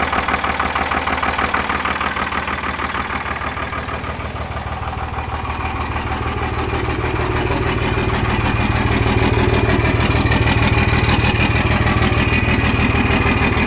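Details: Second-gen 24-valve Cummins diesel after bleeding air from the injector lines and a brief throttle blip; deep, even clatter at steady idle with no misses or stumbles: normal healthy idle.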